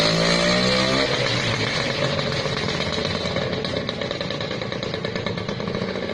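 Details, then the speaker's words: Restored vintage Lambretta two-stroke scooter, just kick-started: buzzy rev blip that falls back and settles into a crisp, even ring-ding idle; running healthy. "(Coup de pied du scooter Lambretta pour démarrer) (Démarré) Son du scooter Lambretta"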